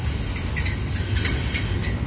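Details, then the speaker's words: Westbound CPKC double-stack and mixed freight train (ES44AC, AC4400CWM, CN ET44DC DPU) rounding a curve at night: heavy rolling rumble with thin, high screeching bursts coming and going; wheel flange squeal on the curve. "oh listen to this thing squeal squealing around the corner"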